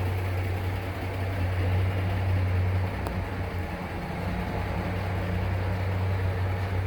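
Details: 1949 GMC 100 5-window pickup, odometer 2,464 believed since restoration, recorded at the tailpipe: deep, even exhaust burble with steady low pulses, no misses or knocks; healthy, smooth normal idle.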